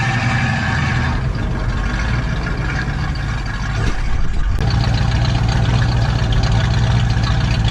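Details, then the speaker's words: 1969 Mustang convertible V8 after alternator repair, fresh battery and sport mid-box exhaust: catches after brief crank and settles into steady, deep, evenly firing idle; starts and runs healthy. "the alternator is fixed so there's no starting issues anymore it's got a fresh battery in here and we've got the sport mid boxes on it so it sound you know what it is right it's not crazy loud but it just opened up"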